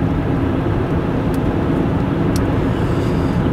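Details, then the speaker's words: Road test at 100 km/h: only even tyre roar and wind noise, no hum or growl rising with speed; normal wheel bearing at highway speed. "so 100 km an hour to sounds pretty good there's no more noise than there should be like tire noise and air noise and stuff so that's"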